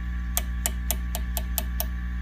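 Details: Fender Custom Shop '57 Twin amp that sounded harsh when overdriven: tap test on a preamp tube gives seven dry, clean taps over steady amp hum, with no ringing or crackle. A normal, non-microphonic tube; two others proved microphonic.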